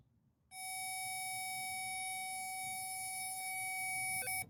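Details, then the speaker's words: Power lock system wire on Chevy Malibu, continuity tester: steady high beep drops out and stutters as green wire is pushed into connector, making and breaking contact; intermittent connection from bad crimp. "as you can see as i push the green wire into this connector it makes and breaks contact our problem is right here"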